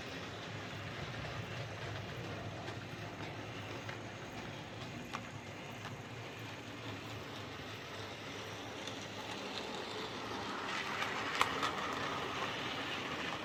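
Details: Hornby 08 shunter model locomotive on layout after repair: rods bent to clear brakes that caused clicking; motor cleaned, lubricated. Steady, even whirr with no ticking or clicking; drive now runs smoothly and healthy.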